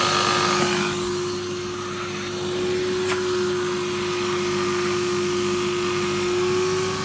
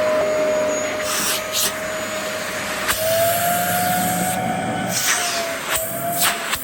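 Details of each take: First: Vax 6131 vacuum, about 15 years old and heavily worn, with the handle snapped off. It uses paper bags; the bag is nearly half full and the filter is clogged. A steady motor whine with a strained airflow hiss: suction is badly reduced by the clogged filter. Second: Fully serviced vacuum, brush bar spinning freely, tested on thick carpet: steady motor whine holding its pitch under load with brief handling bumps; works fine after servicing.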